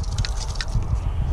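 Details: Failed alternator part number 7911-4A, spun by hand: irregular gritty crunch and rattle, plastic chunks and springs loose inside; owner suspects brushes failed; internal crunching when spun.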